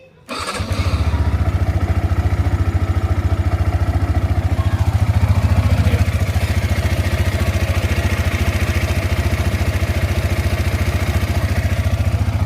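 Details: Yamaha R15 single-cylinder idling after a damaged oil seal near the coolant area was replaced, which fixed its earlier abnormal sound. Even, steady idle at about 3.5 firing pulses a second, no knocks or rattles; healthy.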